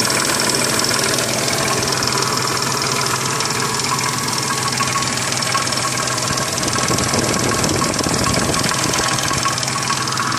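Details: Triumph Stag engine: a busy, irregular clatter at roughly three per second over the idle with much hiss, an engine rattle; owner suspects the timing chains or jackshaft.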